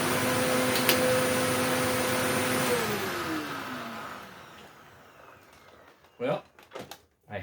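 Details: Eureka The Boss Capture bagless vacuum (curb find) after repacking 2 brushroll bearings and replacing a broken belt; motor runs with steady even hum for a few seconds then winds down smoothly, no rattle or grinding; normal running.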